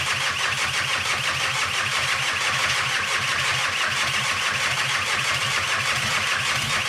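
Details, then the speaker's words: VW T5 Transporter with swapped 1.9 TDI PD130 ASZ diesel, rebuilt head, first start: loud harsh hissy idle, much rougher than normal, because EGR pipe left off and downpipe not fitted; exhaust escaping at open EGR port. "oh yeah it's not leaking and I forgot to put the EGR pipe on that's why it sounds like a tank and it hasn't got the downpipe one"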